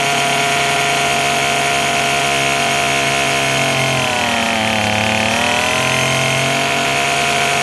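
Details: Craftsman 27cc two-stroke string trimmer, made January 2013, restarted after it suddenly stopped: steady high buzzing idle holding even speed, one brief dip and recovery mid-clip; idling properly.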